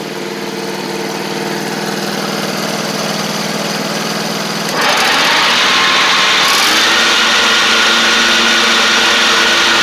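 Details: John Deere D140 riding mower, once blowing fuses, with nearly new spindles: the engine idles evenly, then the blades engage with a loud, steady whirring rush and no bearing scream. The spindles are kind of loud but quieter than before; healthy, normal deck running.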